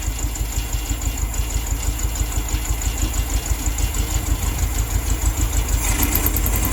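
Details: 1972 VW Beetle 1200, first start in about two years, choke on, fuel fed directly to the carb: a lumpy, loping, uneven idle at about three pulses a second; it is misfiring and not firing on all four cylinders.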